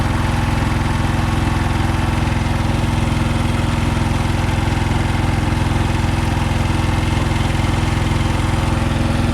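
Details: Komma Seisakusho MT-S411D harvester thresher while threshing: steady even knock about three beats a second over the threshing drone; sorting section first suspected, found to be the binder (knotter) shifted out of position.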